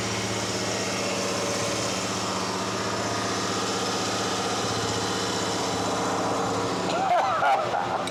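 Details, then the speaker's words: 1991 Toyota 4Runner after nearly 10 years sitting. Uneven, wandering idle beat with loose rhythm: rough idle. "all right so when i started it i kind of had to put my foot into it to get it rolling yeah and it didn't want to idle very good"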